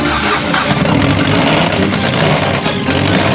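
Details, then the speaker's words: Fiat Stilo with replaced engine after snapped timing belt, timing belt redone; idle shaky and surging, hunting for air with no settled rhythm: rough idle, owner still searching for cause. "well as you here it's still shaky it's searching for air which you can hear look at it because it's opening closing so it's searching for air"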